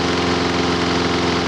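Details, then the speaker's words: Lawn mower small gas engine, brought in not running with very weak spark, now running at steady idle; WD-40 sprayed on intake gasket causes no rev change, so no air leak. Normal idle. "We're going to spray some WD-40 on there, and if it revs up or does anything, it means that gasket's probably sucking in. Nope, never changed the motor."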